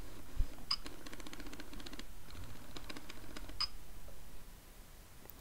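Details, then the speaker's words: Sigma 30mm f/1.4 lens for Canon DSLR: faint buzzing whirrs and small clicks in short uneven bursts as the AF motor hunts focus; front-focusing issue; noisy autofocus. "Basically I like the build quality, but I do not like some of the autofocusing issues I find, and it does make quite a bit of sound when focusing and when it's hunting fine focus, as you can hear"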